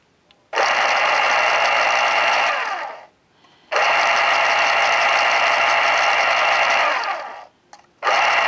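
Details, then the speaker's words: 1980s Panasonic KP-110 pencil sharpener motor, run after opening and oiling it following 8 years in a damp basement: three clean bursts of high, even whirring with low hum, each spinning down smoothly; normal motor run after lubrication. "sounds exactly like it should and it spins down nice it actually has a moment or so of spin down time so everything with that is working good"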